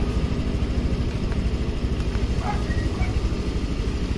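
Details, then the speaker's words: Honda Click 150i scooter that stalled twice with a brief check-engine light; steady, even low idle with no misses or surging and faint clicks, engine speed looks right; owner suspects a weak ground from ECU to CKP sensor causing stalls. "oh yan napakaganda niyan mga paps Tingan battery ang ganda ah engine speed ph5 Saktong sakto lang mga Pap ganda niyan"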